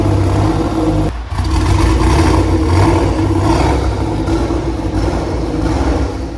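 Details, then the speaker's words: Nissan GTR first start after head-gasket rebuild: rough, uneven lumpy idle, stumbling instead of a smooth six-cylinder hum; mechanic suspects it is running on four of six cylinders, cause unconfirmed. "he's checking everything to see why it's running on what he seems already thinks his four cylinders he thinks going running on four when I should be running on six"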